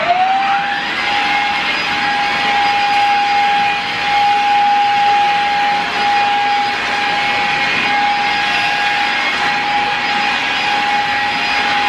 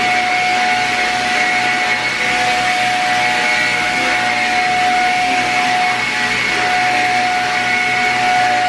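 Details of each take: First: Shark Rocket upright vacuum running over carpet: steady high motor whine with airy rush, no pitch change; low suction, vacuum appears clogged, to be taken apart and cleaned. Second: Shark Rocket upright vacuum after cleaning to fix low suction, tested on a dirty carpet: steady high motor whine with an even airflow rush and no pitch dips or rattles; the vacuum runs normally with good suction.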